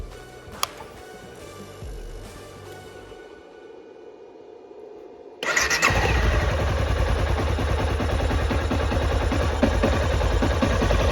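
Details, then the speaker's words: Neglected, dirty low-mileage Honda CBR250R motorcycle started on a battery charger; quiet, then catches and settles into a steady idle of about four even pulses a second, no knocking; alive and healthy. "hey it's honda she's alive"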